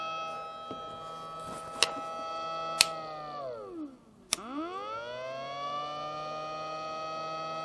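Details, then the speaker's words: Replacement pump motor for a failing Alphacool Eisbaer 280 AIO CPU cooler, bench-tested after wiring it to the housing LED: steady high-pitched whine that winds down and smoothly spins back up; new pump running normally. "I'm going to dim the lights now so you can see more clearly the Alpha cool the lights up and you can hear the motor is clearly spinning"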